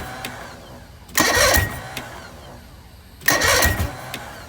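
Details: Bass boat outboard engine at wide-open throttle with a suspected loss of compression: two brief, light, quick cranking bursts without catching. A pressure test later failed and piston #4 was found destroyed.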